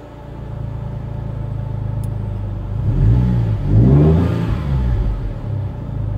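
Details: Ford Mondeo ST220 with random misfire on cylinders 1, 2 and 3, badly down on power and unable to rev past 5k rpm, worse under load on the road. It revs briefly with a rough, uneven beat and drops back. Cause: blocked rear catalytic converter.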